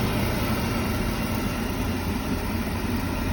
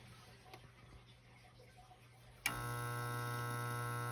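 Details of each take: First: Beckett oil burner on a home heating system after a new blower motor went in and a bad start capacitor was replaced: the blower turns the oil pump, then a steady, even low roar, firing and running normally. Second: Beckett oil burner heating system, started with the power switch: a click, then a steady hum with no spin-up before it goes into lockout. The owner suspects a bad capacitor.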